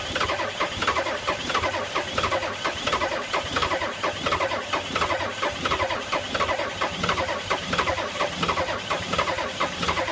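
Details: 1985 Ford F-250 6.9 IDI naturally aspirated diesel in extreme cold (-34): slow, even cranking beats around 87 a minute go on and on but it never fires; cranks, no start.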